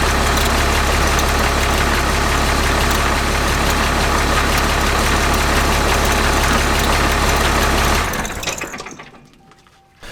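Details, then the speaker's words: Truck with a 6.7 Cummins diesel at idle, transfer case and driveshaft removed: even low drumming with a faint regular knock as soon as it is put in gear. Transfer case ruled out; the transmission is still making a rubbing noise. "the transmission is still making noise as soon as you put it in the gear"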